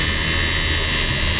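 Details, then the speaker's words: Repaired 68000W first-model inverter after capacitor replacement, 12 V input, test bulb, 1K load: loud even hiss with thin steady high whine, clean strong output; at 2K it later cuts out on protection. "Bali, maganda na tunog niya, straight na. Lakasan natin. Yan, lakas."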